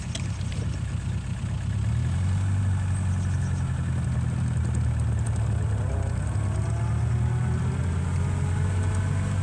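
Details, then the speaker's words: 1936 Rover 12 tourer petrol engine, first run in March after three months' winter layup: smooth, even low warm idle, steady beat, no knocks or misses; oil pressure at its usual 30. Normal warm idle. "Oil pressure is up to 30 now, which is always where it roughly sits."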